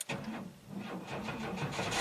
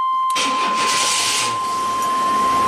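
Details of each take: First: 1991 GMC Jimmy 4x4 with repeatedly replaced battery and starter, reading barely above 9 volts key-on: starter turns slowly and unevenly, each compression stroke dragging; slow cranking from a weak battery, then it runs well. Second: 1991 GMC Jimmy 4x4 with slow-crank complaint, after fitting a new battery (12.4 V key on, lights on, voltage held above 11.5 V): strong, even cranking that quickly catches into a steady run; weak battery was the cause.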